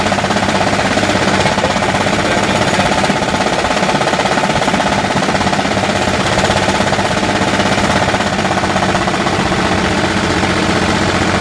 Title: Engine knock